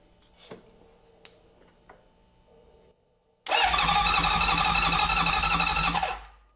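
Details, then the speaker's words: Classic Honda CB750, oil added, no ignition coils fitted yet; electric starter spins the engine at a steady, even four beats a second with no grinding or slipping; normal starter cranking. "i want to see if this will turn over with the electric starter i put some oil in it so what i'm gonna do now is just check our electric starter in the way that you should never do"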